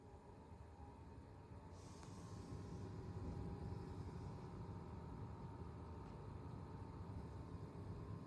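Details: New Zotac RTX 4090 AMP Extreme Airo graphics card, no coil whine; fans make a loud low droning hum with faint buzz when starting to spin at low speed; manufacturer acknowledges the problem, replacement cooler possibly coming.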